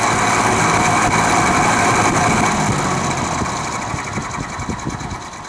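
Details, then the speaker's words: Vintage Penncrest (rebranded Lakewood) 20-inch 3-speed box fan on low/medium after motor drowned in WD-40: slightly quieter but fast chatter about four beats a second persists over hum; cause unknown, owner suspects worn bearings. "you can see it's a bit quieter but it still sounds like a diesel engine and it's been doing that since the day i found it in the trash"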